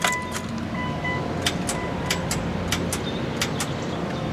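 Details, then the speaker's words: 2002 Mitsubishi Lancer that wouldn't restart after parking, battery at 12.43 V: sharp single clicks in quick pairs on each key turn with no cranking; starter motor failed and was replaced. "Sounds like a starter went out."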